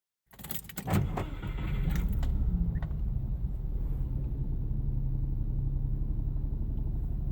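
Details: Subaru Impreza TS, warm, with no power: starts into a deep uneven idle with stumbling irregular beat; misfire.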